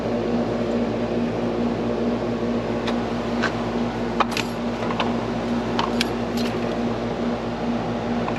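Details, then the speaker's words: Carrier AC outdoor unit on no-cool call, compressor restarted after rewiring to capacitor: even steady hum with fan whoosh and light clicks, about 9.3 amps, suction line cooling; normal compressor running. "Fired up, see if the compressor start. Yep. Compressor started right on up. We're going about 9.3 amps. Suction line getting nice and cool."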